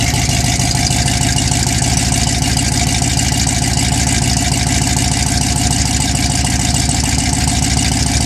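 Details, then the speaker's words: 1979 Ford F150, carbureted, cold start at 15°F on a January night with choke pulled and a little gas: heavy, even low pulse at a steady cold idle with no stumbling or missed beats; now running cleanly. "Sounds like I need to give it a little bit of gas. Yeah, let's try that again. That sounds a little better."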